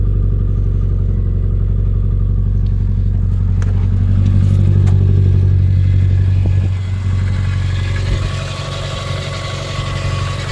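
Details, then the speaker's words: Subaru Legacy just after first start following engine refresh, battery light on: steady even low rumble, no knocks, ticks or power steering pump whine; some smoke from exhaust; healthy normal idle. "Power steering pump sounds super happy. Got some smoke. Oh, it's coming out the exhaust."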